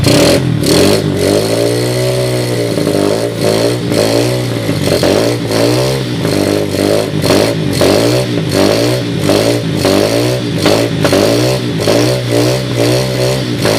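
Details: 2007 SSR Monster 125cc pit bike with a rebuilt carburetor (float issues remain) on a portable 12V GY6 CDI: the single revs up and settles repeatedly, crisp steady firing with no knocks or rattles; no bad sounds.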